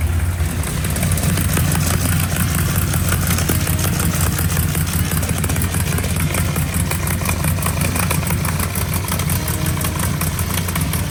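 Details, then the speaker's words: Mark's 1955 car, first start since its V8 was reinstalled: loud lumpy idle with a sharp fast puffing tick over the exhaust note; suspected hole in a header tube causing an exhaust leak, not confirmed. "is there a hole in the header sounds like there's a hole in the header in the tube over here for some reason"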